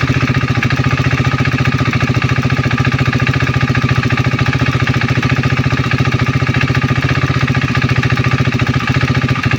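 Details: KTM Duke 390 V2 at idle: steady light tick three to four times a second, often mistaken for the head but coming from the solenoid-operated purge valve (EVAP canister to throttle body), ECU-signalled. Normal purge valve ticking.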